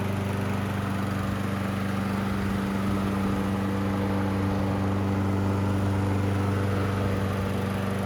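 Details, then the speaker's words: Toro Recycler 20377 self-propelled front-wheel-drive mower running after its carburetor was cleaned, low on gas: smooth, even drone with steady pitch and no misses or surging; it runs clean and healthy. "Not bad. We need to put some gas in it."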